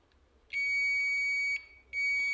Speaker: तो यहां पर देख लें हमें बीप सुनाई दे रही है तो इसका मतलब मैं ये भी कॉन्टैक्ट ठीक है